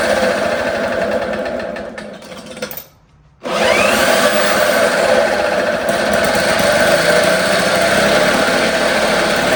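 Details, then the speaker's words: 1954 Lawn-Boy RPM 8FH13LB two-stroke mower, revived after sitting 50 years: buzzes at fairly steady speed, throttle controlled by hand, with a brief cut-out; runs well on choke but falters once choke is off, cause unknown. "So, it runs really well with the choke on, but with the choke off, it's not. I'm not sure what that's about."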